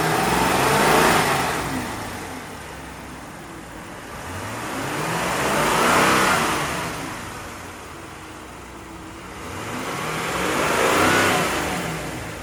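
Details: 2019 Jeep Grand Cherokee Limited, 5.7L Hemi V8, 47k miles, engine bay: revs swell smoothly up and down three times about every five seconds, even pull, no knocks or misses; normal start and rev.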